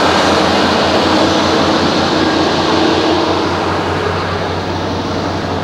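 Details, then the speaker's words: 1989 Chevy K1500 Silverado with Denso starter: quick, even cranking pulses then engine catches and settles into steady run; starter engages cleanly, sounds like a Japanese car rather than a typical Chevy. "I don't know, I can't figure out what car that sounds like. But it's definitely not an American. It sounds like, I don't know, maybe an old Maxima."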